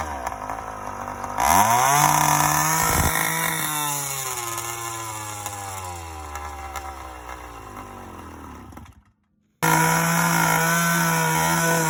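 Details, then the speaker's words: Yamaha YD100 two-stroke after refitting a Dio reed valve, newly ported cylinder and windowed piston, first startup: buzzes up in pitch, settles and picks up cleanly; starts easily and runs fine. "starts up easy though boy sounds good too"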